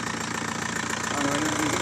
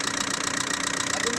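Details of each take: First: Diesel engine idling after the head job was redone with timing set exactly right: steady, even idle with a smooth regular beat and no sharp knocking; normal sound. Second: Diesel engine idling after a cylinder head job: sharp, rapid metallic ticking over the clatter, like something touching, valves or pistons; suspected cause is a bad head or wrong timing.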